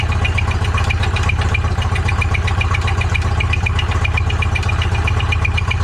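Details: Engine after being freed up again, owner suspects heat expansion; rough, uneven idle with sharp metallic ticks about four per second over a low thump, doesn't sound good; cause unconfirmed.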